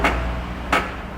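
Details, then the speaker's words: Hyundai i30: two dull knocks about two-thirds of a second apart as the front suspension is worked, from worn subframe bushings, which are to be replaced; control arm bushings were fine, only cleaned. "não sei se a câmera vai pegar ainda mais barulho aqui ó então nós vamos substituir essas buchas agregado pessoal"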